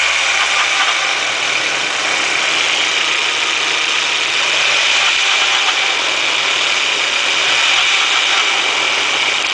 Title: 1.8T engine rattle sound